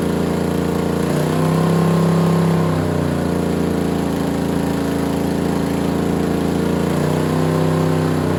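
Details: Freshly assembled small block Chevy for a Model A hot rod, Vortec heads and new cam, first start on a stand. Loud open-header burble with two throttle blips, even firing, no knocks or ticks; 60-70 psi oil pressure, healthy.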